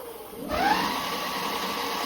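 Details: Tuttio ICT e-bike after swapping in a new metal-geared hub motor (same ESC, replacing the plastic-geared one), stationary at pedal assist 5 with throttle applied. Quiet until throttle, then a clean whine climbs to a smooth, steady hum. The motor sounds healthy; the display read a wrong 72.7 mph.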